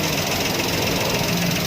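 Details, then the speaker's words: Maruti Alto 800 after replacing the noisy clutch bearing in the gearbox, foot on clutch: steady, even idle with no rumble or whir from clutch area; noise gone, normal idle. "ગાડી એકદમ ચાલુ complete થઈ ગઈ છે। જો હવે હું તમને ક્લચ ઉપર પગ રાખીને બતાવું, જો અવાજ એકદમ બંધ થઈ ગયો છે।"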